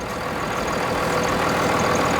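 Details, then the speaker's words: 1999 Dodge 2500 5.9L 12-valve Cummins diesel, over 400,000 miles, just after fuel lift pump replacement and bleeding; steady even idle clatter, no misses, knocks or surging. Normal idle. "had this truck over 22 years listen to it doesn't it sound great you got that right"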